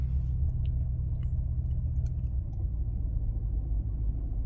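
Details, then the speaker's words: 2005 Maserati Quattroporte, 4.2 litre V8 Ferrari engine, up to temperature at about 925 rpm: deep, steady idle as the radiator fan comes on, with no misses or knocks; slight jumping, possibly plugs, fuel delivery or injectors. "Ah, the fan's just come on. That's what I wanted to happen. And it seems to be idling okay."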